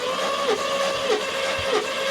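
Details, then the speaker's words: 1972 Mercedes 280SE 4.5 (W108, D-Jetronic injection) cranking during a compression test; steady starter whine dipping evenly about every 0.6 s; readings 138–150 psi across cylinders, acceptable despite suspected worn piston-ring oil seal. "We have, the lowest one was about 138 all the way up to 150. So we have acceptable compression to continue on with the work on this engine."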